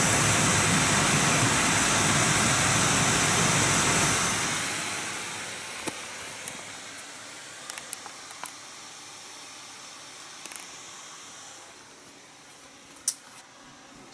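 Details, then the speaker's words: Nvidia GTX 980 reference card blower fan at 100% (about 4200 rpm), then back to auto mode settling toward 1100 rpm: loud even rush winding down to a quieter hiss; healthy fan. "one is one hundred percent like I told you it is around 4200 rpm"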